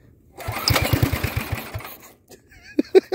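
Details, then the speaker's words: Go-kart pull-start engine, just taken out of an attic. It catches for about a dozen quick firing pulses, fades and stops within a second; it fires but won't stay running. "it's got a long ass pull rope on it so it doesn't want to party it doesn't want to party"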